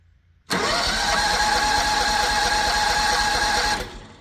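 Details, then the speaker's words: Predator 670 engine just after a carburetor clean and reinstall, throttle wide open: about three seconds of steady cranking with even compression pulses and no catch, empty fuel bowl not yet filled by the vacuum pump; cranking without starting. "We need to get the fuel bowl filled up with fuel and from the fuel tank, and then it should run. Do it a couple times."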